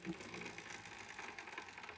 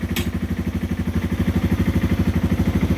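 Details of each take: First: 2010 Yamaha TW200, 4,500 miles, original stretched roller chain and original sprockets, just cleaned and wax-lubed: a faint, quick, irregular ticking and clacking as the chain turns over the sprocket, still clicking from wear. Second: 2010 Yamaha TW200 single-cylinder, 4,500 miles, started on choke after a new X-Ring chain with new sprockets: settles into a steady, even idle thump with no knocks or rattles; the engine is running fine.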